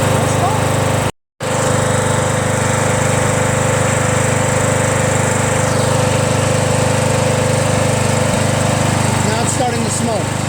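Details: Small single-cylinder mower engine, previously smoking after sitting on its side with oil in the muffler, restarted to check smoke: steady even beat at settled speed, no misses or knocks; no smoke, starts right up, sounds healthy.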